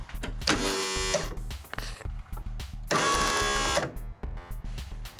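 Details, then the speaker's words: Craftsman ZTS7500 zero-turn, Kohler Courage engine, on jumper battery; two short bursts of high whirring whine under a second each, no engine catching; starter spinning free without engaging, cause unknown. "Something funky going on in the starter. It was spinning so good. What is going on with this starter? I'm probably ruining my starter."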